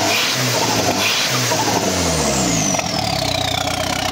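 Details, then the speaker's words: Škoda 130 project with a 1.4 MPI turbo engine on 1.8 injectors, at startup: catches and settles into an uneven, lumpy idle with loud raw exhaust, burning poorly and smoking black; rough running from rich mixture. "Pozri, no, keď to naštartujem, počkaj. Vidíte, to je proste nedobre spaľuje a dymy na čierno, hej."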